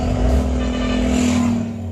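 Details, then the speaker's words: Car restarting after running the tank dry and adding 2 litres of fuel, low fuel warning still on, first attempts failed: engine catches and holds a steady hum with a light rev; runs evenly with no misfire. "Start అవ్వట్లేదు. Oh my God. చూద్దాం, కొంచెంసేపు wait చేద్దాం. Okay friends, start అయిపోయింది."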